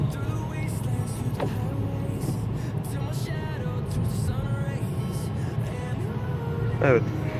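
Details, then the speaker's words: 2010 Mercedes C180 (W204) road test after replacing the rear axle bearings and discs for a rear hum: steady road roar rising evenly with speed, no hum or rumble from the rear; normal wheel bearing noise. "an araçta herhangi bir uğultu patırtı bir ses yok Her şey gayet normal"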